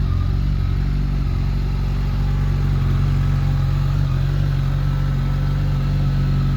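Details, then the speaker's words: 2005 Honda CBR1100XX Super Blackbird 1100cc four-cylinder, stock mufflers: smooth, very quiet running with the faint steady whistle heard when revved, which all Blackbirds should have. Healthy engine. "so she heard there sounds very quiet it's got the stock mufflers on it it's got a nice whistle to it which all honda blackbirds should have"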